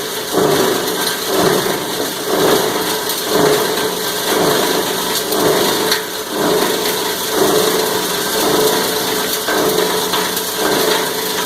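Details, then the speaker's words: Cumberland granulator chopping about 10 pounds of copper wire: a steady chopping roar, noisier while grinding, surging about once a second as the material tumbles through. This is normal operation under load. "A little bit more noisy when it's grinding. And you can hear it surging as it's rolling it around."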